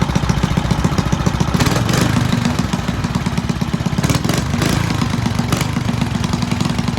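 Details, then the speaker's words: Fun Power 5 hp Briggs single-cylinder engine of unknown year on a vintage Fox Campus minibike, which the owner notes smokes but otherwise runs well: quick, steady putter at about 3.5 beats per second with light clatter; runs smoothly. "All right, so this is a Fun Power 5-horse Briggs. Unsure of the year and all that, but it runs good."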